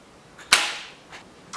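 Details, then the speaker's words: BMW E36 barn-find drift project, first start attempt after about 2.5 years unrun, fresh fuel: one sharp click at the key, then faint ticks, no cranking; battery connection suspected, unconfirmed. "No good. Just make sure it's connected up to the battery properly."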